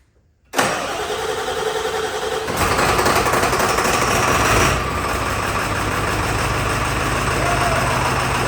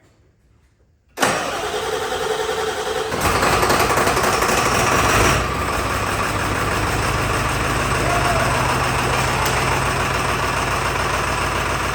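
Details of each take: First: Donor Ford 7.3 Powerstroke diesel truck described as very reliable. A brief crank, then it catches at once and settles into a steady, even idle with no misses or knocks: a normal start and idle. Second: Barn-find OBS Ford F350 with 7.3 Powerstroke diesel, not run in years, started by manually jumping the glow plugs: it cranks, catches and settles into a shaky, uneven idle on about four cylinders, caused by damaged injector wiring.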